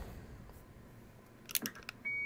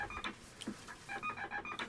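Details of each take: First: Vintage 7-tone CB roger beep board, rebuilt with replaced ceramic disc capacitors, tested on radio in single beep mode; two short crisp beeps near 2 kHz about a second apart between key-up clicks; working properly. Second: Rebuilt vintage 7-tone CB roger beep board with ceramic disc capacitors in place of the originals, powered with PTT grounded; its clipped stepping tones sound rough and strange, unlike the original's crisp sound; cause unknown.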